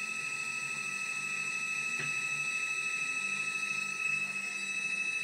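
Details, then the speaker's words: Dyna Myte DM 3000 CNC with Gecko G540 and Mach 3, power supply raised from 24 to 48 V, not yet tuned: steady high-pitched singing whine at one pitch during a rapid move; normal stepper rapid traverse. "that's a rapid so far i haven't really tuned it up this is uh i finally got up the power supply to 48 volts instead of the 24 and it does seem to be making it run a little faster"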